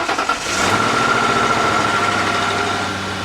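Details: Lincoln Town Car at auction, 156,000 miles. Engine catches and quickly smooths into a steady, even idle with no misfire or knocking. Normal start and idle.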